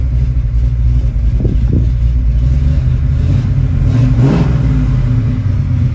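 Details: 1970 Ford Mustang Boss 302 V8, 4-speed manual, rotisserie-restored: deep V8 rumble idling steadily, then a couple of quick blips that rise and settle cleanly; running and sounding healthy.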